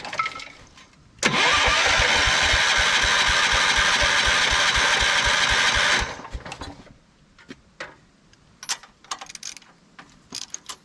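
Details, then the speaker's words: 1979 Kohler K301 12 hp mower engine cranking after fuel dribbled in to prime: about five seconds of steady cranking at roughly four pulses a second, no firing; owner suspected dry fuel pump. "the fuel pump is probably dry so it's not sucking the fuel up probably otherwise it's just a bad fuel pump or the carb is gummed up"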